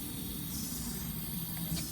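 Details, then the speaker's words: 2020 Jaguar F-Type (X152) crash rebuild, cooling system under compressor pressure test: pressure dropping, steady high airy hiss over low compressor hum; leak traced to rear of main radiator, not the pipe, so radiator needs replacing. "So, we have a problem. As you can see, we are dropping. And you hear the leak. There's actually a leak and it's in the worst place ever."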